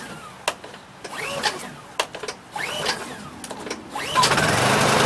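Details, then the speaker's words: Brand-new Honda EU2200i inverter generator, first start on TruFuel 4-cycle fuel, with fuel valve on and choke on: several zipping recoil pulls, then it catches after about 4–5 pulls and settles into a steady, even run. A normal first start. "Okay, so it took me about 4 or 5 pulls, but when it's completely empty, brand new, it's going to take you a little more than that. But I would say roughly about 10 pulls and you should be good, so don't get disappointed when this doesn't start on the first pull."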